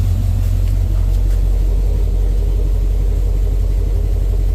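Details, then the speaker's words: 1989 Dodge D100, 318 V8 with new headers and Borla exhaust, revving: deep rumble with uneven pops, a backfire; owner guesses the truck isn't tuned up yet, and it stalled. "Sounds pretty good. I don't know why it's got that weird little backfire sound to it when I rev it up, but I'm gonna guess that's because I don't have the truck completely tuned up yet."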